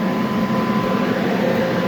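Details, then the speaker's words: Universal Effect ST 350 foam machine on lift, test run with turbine only: steady airy blower roar with faint constant tone, no surging or rubbing; turbine up to speed, foam sock standing up, running normally. "Voilà, la turbine elle est lancée, on a bien la chaussette qui est debout."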